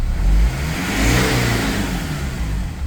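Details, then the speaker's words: BMW E46 M47 110kW diesel after replacing a damaged MAP sensor that had killed turbo boost, with new injectors fitted: it revs freely and a rising airy whoosh comes in with the revs. The turbo spools normally again. "Oh yeah. Okay, so the turbo is working, so I fixed the problem."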